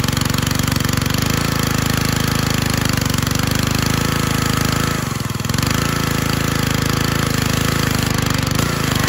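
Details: Husky gas pressure washer after replacing the damaged AR pump head and seals, primed: small engine runs steady and even at a fast smooth beat with one brief dip in load; normal running after repair.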